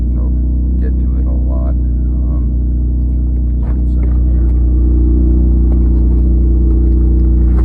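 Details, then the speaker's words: 3rd-gen Mitsubishi Eclipse Spyder GT driving after a new fuel pump, cold start after sitting a week: loud raspy drone with a puffing beat, leak believed behind the engine; exhaust leak. "you'll hear the car is a bit loud I have a bit of an exhaust leak and I weld and I can't get to it because it's like behind the motor"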